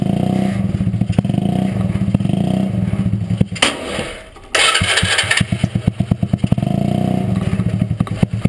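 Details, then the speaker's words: Rat rod riding mower small engine: steady thumps, then stumbles and briefly drops out before recovering in uneven pops; owner suspects fuel starvation as nearly out of gas; finding: engine cutting out. "as you can hear it cuts out a little bit staring for fuel probably cuz it's almost out of gas so I need to put gas in it"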